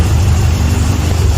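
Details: Toyota Vios 1NZ engine at idle with the A/C on and no warning light on the dash: deep, uneven idle that lumps and stumbles instead of running smooth; a misfire traced to rodent-chewed wiring.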